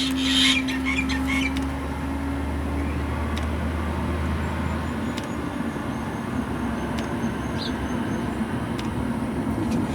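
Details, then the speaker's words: JP Heaters 2kW Chinese diesel air heater in a bus, winter, startup: after a fuel pump priming kick, steady fan rush with slow even once-a-second pump tick as the burner lights, a little smoke; normal startup. "just a few quick tips and now it's gone into its normal ticking operation and we should very soon see a bit of smoke coming out of here as it starts up"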